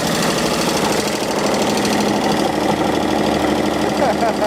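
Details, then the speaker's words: 1948 Chevy inline engine, abandoned 58 years, first runs: busy clatter with a dull knock underneath, owner unsure if rod knock, no oil seen reaching the top; otherwise runs smoothly, smoking with steam. "I don't know if that's a rod knocking or not runs like a dang sewing machine though"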